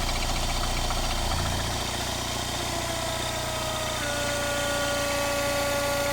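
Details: Mini Cooper S R56 at idle: a thin high whistle and a steady tick near 220 per minute over the engine hum. Odd engine noise; the owner does not know the source.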